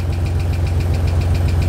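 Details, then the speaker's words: 1986 Nissan 300ZX first start after long sitting, hot day, oil slightly low: rough idle with a light, fast tick over the low rumble; first thought rod knock, then suspected lifter tick, unconfirmed. "of sounds like it has a rod knock nah that's a that's a lifter i guess"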